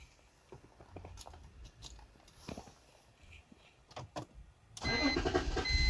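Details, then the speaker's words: BMW 325xi cranks but won't run: clicks and several seconds of cranking, then it catches and roars but cuts right back off; in-tank fuel pump sounds weak when primed and it runs on starting fluid, so fuel delivery is suspected. "see it starts it cuts right back off"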